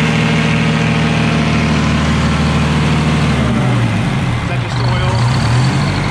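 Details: Detroit Diesel 4-71 two-stroke, first run after rebuild with injectors set and smoke gone: steady, even beat with deep drone; revs shift slightly partway, otherwise smooth, no knocks or misses.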